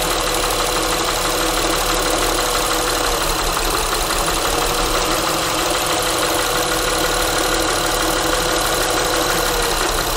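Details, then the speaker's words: Honda Pilot at idle: steady idle with fast, light evenly paced tick on top, sounding louder on microphone than in person; cylinder disabling and pulse sensor used to locate tick, source not yet pinned down. "so looking at this honda with the little engine tick sound you probably saw in the video where i was disabling some of the cylinders to see if the noise went away"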